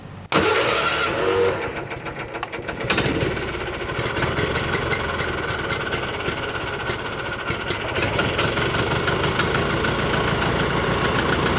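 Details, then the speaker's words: 1986 or 87 Argo Magnum cold start with choke on, running off its internal tank. Starter churns steadily at about three beats a second but it never fires; fuel isn't reaching the filter or carburettor. "probably is a little bit of fuel in the float bowl of the carburetor so it might start and fire but I expect we're going to have to turn it over quite a bit to suck fuel up out of the"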